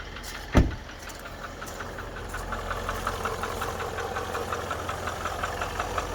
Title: Range rover vogue L405 2013 Engine Knocking (Upper Right) Side